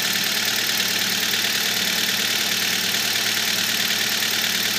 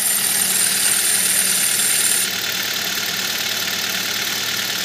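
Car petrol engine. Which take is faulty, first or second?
second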